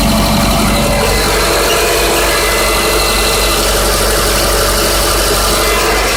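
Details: 2005 Subaru Legacy 2.0 petrol boxer at idle: dull, fairly fast knock under a steady idle; owner asks whether it is bearing knock or piston slap, cause undetermined.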